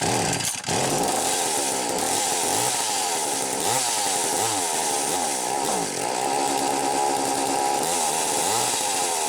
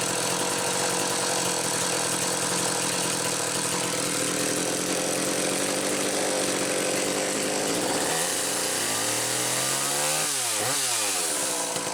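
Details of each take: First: McCulloch Power Mac 320 Auto-Sharp two-stroke chainsaw, carburetor recently loosened: high-pitched revs surge and sag unevenly instead of holding steady; poor running from carburetor pulse hose found disconnected. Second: McCulloch Power Mac 320 chainsaw with original auto-sharp system, test run: two-stroke screams at steady high revs, dips and climbs back cleanly without bogging; normal running.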